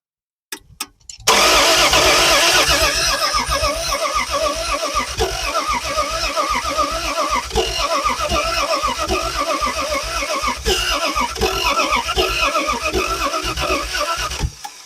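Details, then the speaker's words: Old petrol engine first start after about 40 years sitting, with fresh fuel in the carburetor float bowl and distributor timing possibly one tooth off: a few quick cranks, then it catches and keeps running with a steady, lumpy beat. "let's get our ignition turned on there we go and here we go let's see what we get it's starting"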